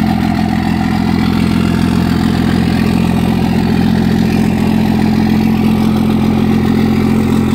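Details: 2nd-gen Cummins 24-valve diesel with VP44 pump, cold start around 30°F, fuel pressure about 21–22 psi (spec 14–20) before adjustment: uneven chick-chick hiccup near 3.5 per second over the idle; rough cold start, cause suspected, not confirmed.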